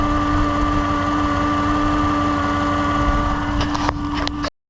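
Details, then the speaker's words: 2015 Chevrolet Suburban with battery not charging, at idle after 15-20 minutes running: steady high alternator whine holding pitch over an even idle; alternator suspected failing, replaced afterwards. "This video is a sound test of the alternator. You can hear it, it sounds kind of like it's whining. That's the alternator right in there."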